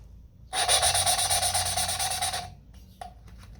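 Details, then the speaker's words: 5.7 Hemi cylinder head, valve hand-lapped with a suction-cup stick; about two seconds of rhythmic gritty rasping as the valve spins back and forth, getting finer as wanted; valve lapping, seat bedding in. "See how it got a little bit finer there? That's what you're looking for."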